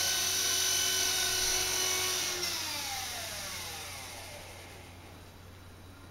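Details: Blade mCP X RC helicopter after the Z8RC boom truss mod: a high, even rotor whine at a steady pitch with no beat, winding down smoothly. The rotor runs clean with no vibration.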